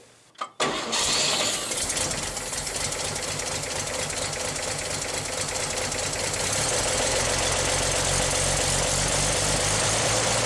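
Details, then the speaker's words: 1959 GMC pickup with 216 engine, after fuel pump started pumping: cranks, catches under a second, settles to an even steady idle with no misses or knocks; normal idle. "(Engine cranking, starts and runs ) Oh, that sounds so much better The fuel pump is now pumping"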